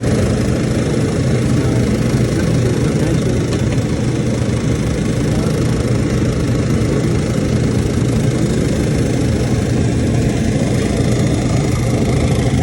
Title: KAIRAK TABLE TOP MAKING NOISE.